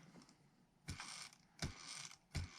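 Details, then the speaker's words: FPV drone brushless motor (2205-class or larger) spun by hand three times: gritty, crunchy rasp from a shot bearing that can be felt through the arm; the bearing needs replacing or it will limit the PID tune. "If you can hear that, the bearing is shot. You can feel it against the arm when you spin the motor. So yes, the bearing has to be replaced."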